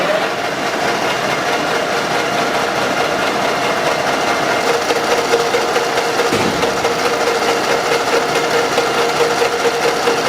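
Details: Running engine with a light, fast ticking knock about twice per second at steady idle; knock from excessive camshaft axial end play in the head bores, engine with sludge and heavy blow-by; fix: machine the original plug about 0.5 mm.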